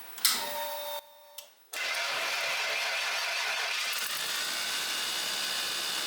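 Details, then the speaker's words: 1990 Ford F150 started with meter on battery: brief crank, then steady idle with a hissy, whirring whine on top; alternator noisy for as long as owned but charging 13.4 V, so not the electrical fault. "so even though the alternator technically is charging it's been noisy for as long as I've owned this truck"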